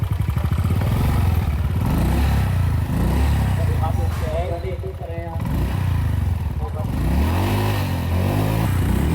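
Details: Honda Vario 150 scooter with a smoking exhaust and 100 km/h top speed: uneven, lumpy running with a rough low beat and coarse exhaust note; blamed on a reused bad head gasket that let coolant mix into the oil, wearing the engine.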